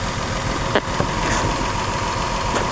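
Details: Nissan Pathfinder 4.0L V6 idling with an uneven, lumpy beat; one cylinder dead, identified as cylinder 5 by unplugging connectors with no change, coil swap next.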